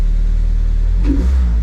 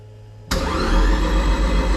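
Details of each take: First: Toyota MR-S with swapped big-turbo 1.8 20V engine ('forged'), Ignitron ECU on untested base map, first-ever start: fires instantly, 85 PSI oil pressure, steady even low rumble then one clean rev settling back; healthy start and revving. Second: Toyota MR-S with big turbo 1.8 20V swap and Ignitron ECU, first start attempt, no coolant: starter spins evenly about six seconds with steady compression beats, never catches. No spark, because spark plugs and ignition coils were not yet installed.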